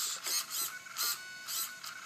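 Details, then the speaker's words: Mini 8ight RC car steering servo: high buzzing whirs in short repeated bursts while the wheels stay stuck and won't turn fully right or left, with no crash; servo straining and not completing its travel, cause suspected, not confirmed. "like it won't [ __ ] it won't turn and you can hear it moving you can hear it moving but it won't turn right"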